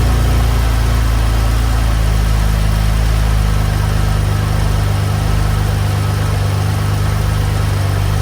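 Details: 2015 BMW M4 F82, S55 engine, first start after a DIY spark plug change with NGK plugs: smooth, even low rumble at steady idle with no misses, knocks or ticks; runs and sounds healthy.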